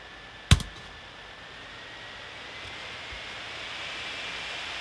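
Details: Gigabyte P34G 14-inch laptop, microphone close: a click, then an airy whoosh with faint high whistle building as the fan ramps up loudly under heavy video-effects load.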